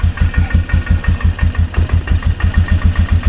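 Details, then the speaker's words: 2003 Polaris Magnum 330 4x4 single-cylinder ATV after fuel pump replacement, idle turned up: steady, even thumping idle about ten to eleven beats per second with no stumbles; running smoothly. "There we go. And she's just purring like a kitten. I guess the fuel pump is all it needed."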